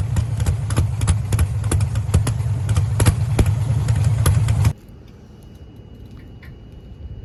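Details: Camaro with Holley EFI 5.3 LS V8 idling: rough, loping idle with uneven sharp pops about three a second, then shuts off; cylinder misfire, cause unknown; owner suspects a corrupt ECU file and plans to reinstall firmware.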